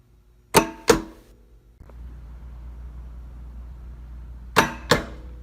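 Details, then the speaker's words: Pulse-Bac vacuum, compared against PulseRam: filter-cleaning solenoids pop every 7 seconds as two soft pops in quick pairs over a low hum, with no sharp crack. The solenoids are weak and sluggish and the rubber valves bounce rather than snap closed. "these solenoids are so weak now there's nothing crisp about them at all and it's that crispness that you need you really need to shock the filter hard with an instant burst of air there's this is a sluggish solenoid"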